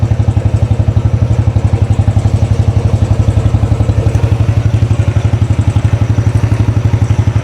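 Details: 2013 Royal Enfield Classic 500, first start after an engine teardown and rebuild, at idle: a sharp, even tick on every beat over the thump, a noisy top end that the owner suspects is the rockers or pushrods, unconfirmed.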